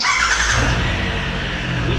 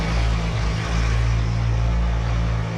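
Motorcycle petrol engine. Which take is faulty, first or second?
first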